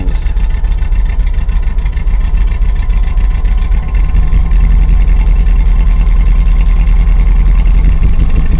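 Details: 2000 Chevrolet Silverado 5.3L LM7 with turbo and Summit cam swap, idle tuned with HP Tuners: steady, slightly lumpy idle, no knocks or misses, idles okay in park though barely runs in gear.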